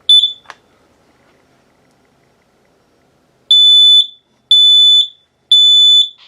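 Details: Battery-operated Kidde KN-COSM-B smoke/CO combo alarm, upstairs unit, home test: sharp chirp then three shrill beeps about a second apart, test sounds properly.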